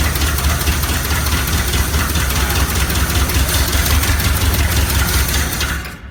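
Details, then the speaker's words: 1969 Chevy C/20 327 V8, first run after 40 years, muffler cut off: deep steady V8 rumble with an even beat and no knocks or misses; normal running, though the fuel pump does not work. "yeah awesome well it runs and quite well in my dad oh that's a relief"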